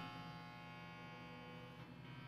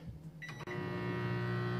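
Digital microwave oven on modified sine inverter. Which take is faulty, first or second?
second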